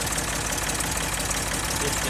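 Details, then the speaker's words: Engine with homemade fuel pump diaphragm cut from drag-slick sidewall, many miles since fitting, cranked from the starter: steady idle under hiss and rattle, no misses or stumbles; runs normally. "there you go it works perfect a lot of miles on it since I've done this"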